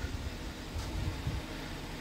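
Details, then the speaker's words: Kia Cerato 1.6 automatic, warmed up, after replacing the cracked flexplate with a used crack-free one and a 14 mm guide: low, even idle rumble with no knock in reverse or drive; the knock is gone. "прокатился всё в порядке шума нету уже нагрелась пробую переключать задняя ничего не слышно дэшка По сравнению с тем что было Ну стук ушёл"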